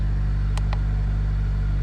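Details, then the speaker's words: 2005 Toyota Corolla XRS (2ZZ engine) with a recurring cylinder 1 misfire code (P0301); just started, steady even idle with a smooth low rumble and no skips, sounding the same as when it was misfiring; normal idle. "sounded the same it sounds the same from when i was driving it before with the misfire and it sounds the same right now sounds like a 2z to me"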